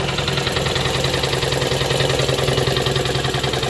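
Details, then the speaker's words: 1966 air compressor, rewired and replumbed as replacement for a failed unit, pumping up from zero: steady even chugging at about three and a half strokes a second with smooth motor hum; normal running. "a good sign it turns on so now we'll just see how long it takes the pump up"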